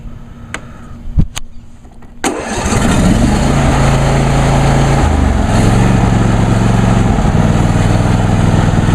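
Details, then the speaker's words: New John Deere D130 lawn tractor, last run the previous Sunday, started on choke with foot on brake; a few clicks, then the engine catches and settles into a smooth, even idle with no knocks or misfires, normal. "and as you can hear it sounds just like my grandfather's older uh MTD hoson tractor which has practically the same engine"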